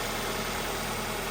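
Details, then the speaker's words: 2-door Ford Escort after converting the AC compressor into an idler pulley with a new bearing and refitting the stock belt: smooth, even idle hum with no squeal, chirp or grinding and no warning lights; the fix works. "So that works. I'm pretty happy with it. Sounds good. I don't have any warning lights."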